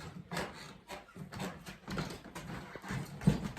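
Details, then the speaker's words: Old Soviet-era wooden plank floor, covering removed: repeated creaks and squeaks with each step from loose boards. "Если их снять, то снизу будут вот такие вот доски. И сами эти доски скрипят."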